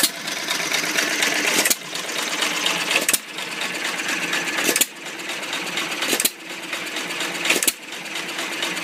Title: First run after rebuild! Old Iron Creamery power plant